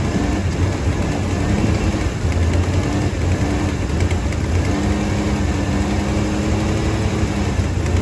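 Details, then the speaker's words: 3rd gen Firebird V8 revived after years sitting in a field, first run on fresh cheap flush oil: even, steady low rumble with no knocks, misses or ticks; oil pressure back, normal idle. "All right, so it runs. Um we got oil pressure back."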